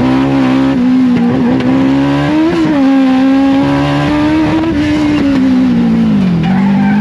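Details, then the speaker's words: Streetbike-engined race car on track, lap one: screaming high-revving engine whose note wavers and stumbles rather than pulling clean; running rough. "I don't know if you guys could tell but uh definitely wasn't running so hot lap number one"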